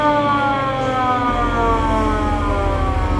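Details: VW Kombi Bay Window ambulance with its original factory siren, tested with the battery freshly fitted and the rotator lamp on: a loud wailing siren with stacked tones sweeps slowly downward, steady and strong; normal siren operation.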